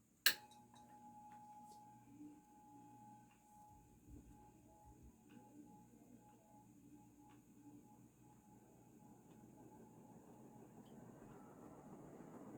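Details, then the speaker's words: Vintage Dayton 4C721 60-inch cast-iron-motor ceiling fan that initially seemed locked up until freed, started from off straight to high: a switch click, then a steady hum and rushing that builds slowly as the heavy fan winds up. Normal start-up. "and it surprisingly still takes a while to get up to speed from high well i guess not surprisingly because it's really heavy"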